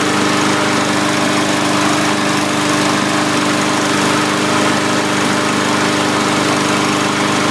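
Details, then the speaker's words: 2017 MTD push mower, Briggs & Stratton single-cylinder, after carb clean with suspected moisture in the cylinder: now holds a steady even drone at fixed speed, but was unusually slow to start; dirt daubers found in breather hole and hose. "so that kind of had me worried really slow to start i don't think i've ever had one slow that slow after a carb clean"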